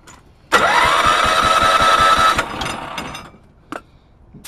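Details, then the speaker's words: Honda HT3813 compression test, cranking on starter with a low battery: this cylinder reads about 100 psi (front cylinder about 95); engine has needed a head gasket or valve job since purchase, though it still runs ok. Weak, uneven compression pulses. "this one's got right around 100 so I do not remember what this motor was when I got it um when I first did the very first test on it but she definitely does need a head gasket or the valves"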